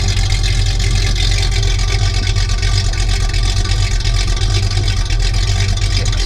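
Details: 1973 Plymouth Roadrunner, original 318 V8 with about 23,000 miles, recently cold-started, heard at idle from the rear exhaust: a deep, steady, throaty rumble with an even beat and no misses or knocks. The engine idles smoothly and normally.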